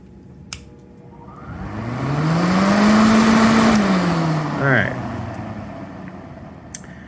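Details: Master kerosene torpedo heater throwing E1 error and shutting down, blower fan motor run alone on direct AC to test the part; spins up smoothly to a steady even hum and winds down cleanly, no rubbing or rattle; fan works.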